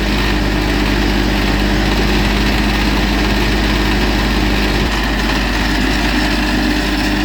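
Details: John Deere tractor and mower restarted after the mower was fixed with new Loctited bolts: steady, even low drone with no knocks or rattles. Everything is running normally.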